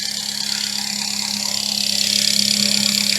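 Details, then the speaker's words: Supercharged ECUTEK-mapped FN2 Honda Civic Type R after new thermostat, idling 5 minutes without overheating where before it overheated in 3-4 minutes: steady, even idle with smooth hum and bright high whine, no misses or knocks; normal idle. "It's literally been sat there for 5 minutes. Now normally before, about 3-4 minutes, it was overheating."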